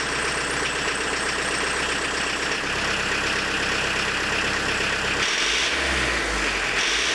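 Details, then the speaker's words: Diesel with a Lucas DPC injection pump, timing set about 1.5 mm advanced past TDC: harsh, hard-hitting clatter with heavy shaking at idle, no response to throttle; injection timing is too far advanced. "Все, жестко работает, на газ не откликается, смотрите. Ну, плохо, тупой стал."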